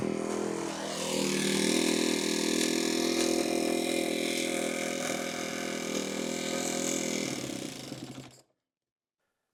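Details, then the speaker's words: 2013 Kawasaki KX250F after head and valve replacement following a dropped valve, fuel injected, idle turned up: runs but loud fast metallic clacking over rough revving; suspects valve shims/clearances not checked, valve train clatter. "right. So, it runs, but it sound like the thing's got some more issues. I'm kind of kicking myself in the butt a little bit. Probably should uh check these valve shims while I was in there."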